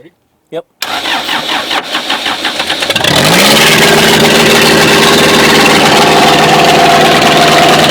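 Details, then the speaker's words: Pond-sunk backhoe diesel after seven months, retried after a wait for the hot starter. It cranks about two seconds at four strokes a second, then catches and holds a strong, even run. Engine starts. ">> Well, it ran. >> It did run."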